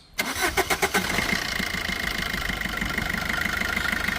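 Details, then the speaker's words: 2016 Maruti Swift Dzire VDI diesel with 107,000 km. Starter cranks briefly, the engine catches cleanly and settles into a steady, even idle with no knocks or misses; no leaks are noted and the engine is in good condition. "ఇంజన్‌లో ఎలాంటి సమస్యలు లేవు; వాహనం మొత్తం మీద చాలా మంచి స్థితిలో ఉంది."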